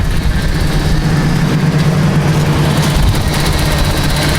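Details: 1982 Datsun 280ZX abandoned project car, first running after a new battery was fitted: low, steady engine rumble holding an even idle with no knocks or misses; normal idle.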